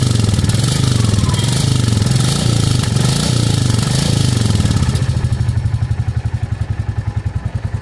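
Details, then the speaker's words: Royal Enfield Classic Reborn single at 768 km, brought in for smoking, started on first self-start after plug refitted during timing-chain work; smooth, regular low thumping with no clatter or misses; idling cleanly. "एक ही self में गाड़ी start हो चुकी है और इसका sound सुनिए आप"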